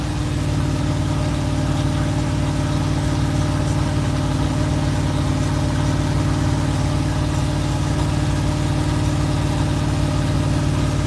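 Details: GMC truck V8 on its first start: it idles steadily with a deep, even rumble and no knocks, ticks or misfires, though an exhaust leak and a backfire are noted.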